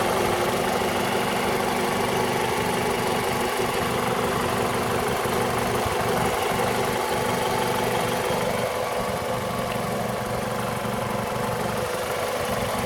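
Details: 2002 Toyota RAV4 at idle: a faint regular tapping at about three beats per second rides on the hum. The owner suspects the VVT-i coupler, but the knock's source is unconfirmed.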